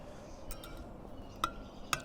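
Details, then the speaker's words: Sur Ron Supermoto spoked wheel being pre-stressed by levering a wrench between spokes: two sharp metallic pings about half a second apart as spokes settle and lose tension. "heard that yeah pop pop ting yeah that one that one definitely lost this tension"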